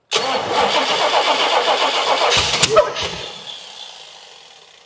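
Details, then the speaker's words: 1979 Pontiac Trans Am V8 start attempt: catches and runs lumpy with an uneven beat about four a second, then dies after three seconds; suspected ignition timing or firing order wrong. "see what we got going on because this definitely sounds like a timing issue."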